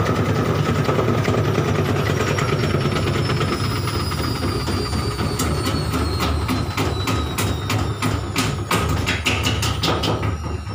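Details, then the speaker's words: Front-loading washer during spin: a heavy drum rumble with rapid banging, about three knocks a second, as it spins and slows; violent shaking and loud noise are the reported problem. "itu ya videonya terjadi guncangan yang cukup keras"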